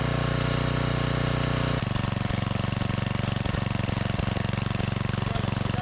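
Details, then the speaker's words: 5000 W Generac generator pulled from the trash, with a new carburetor, being tuned toward 60 Hz: engine runs lumpy with a steady pulse, then drops in pitch and won't reach governed speed; governor spring position suspected. "Let's try that first, and then we'll check our frequency again, make sure we're ramping up enough."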